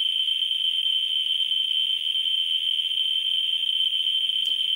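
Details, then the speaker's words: Ludlum 14C with a Ludlum 44-3 gamma scintillator near a uranium ore rock, audio back on: dense, rapid clicking runs together into a steady high buzz, maxing out the x1 scale. "let's first turn the audio back on you see that it maxes out rapidly"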